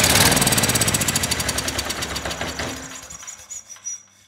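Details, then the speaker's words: Ridgid 5700 W generator, Yamaha MZ300 engine, dump find that would not start; spark plug gap closed to 0.030 in, since the owner guessed the coil couldn't jump the wide gap: on starting fluid, rapid strong firing pops fading over about four seconds; engine firing. "that's more like it let's try it again this time with the light connected i got nothing from that light but the engine wasn't up to speed"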